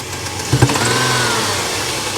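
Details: 3.7 Dodge Dakota comeback with engine damage, suspected overheating dropping a valve seat that smashed a valve, cause unconfirmed: uneven stumbling note with sharp thumps as revs rise; badly misfiring, damaged engine.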